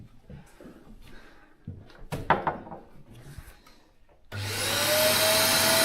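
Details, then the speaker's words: Grain dryer cleaning vacuum, after a plug in the pipe was cleared with a stick: after some knocking it starts up and settles into a strong, steady, unrestricted rush of air, no longer the higher pitch of a blockage; normal suction. "Yeah, now it sounds normal, I think. I think it sucked it off now."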